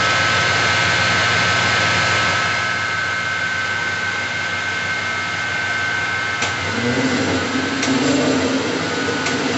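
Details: 24-volt alternator from a Mercedes-Benz MB1620 truck, bench run with regulator set to 24 V and warning lamp lit; steady clean whine with a few light clicks, no rumble or grinding, bearings sound healthy.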